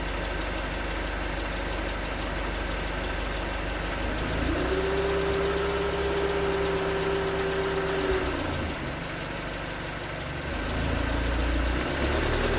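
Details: 2019 Hyundai Tucson 2.0L GDI Nu, 24,000 miles, on Mobil1 5W-20 with a NAPA filter under 1,500 miles old: steady light knock, about four per second, over the hum at cold idle. Owner suspects piston slap; switching to 5W-30 only slightly improved it.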